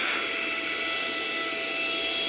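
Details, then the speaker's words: Lokithor JPD400 jump starter's built-in air pump running on its outlet (blow) side with no hose attached; steady high airy rush with a few thin constant whistles, no surging or grinding: blower working as it should. "It's blowing like it's supposed to."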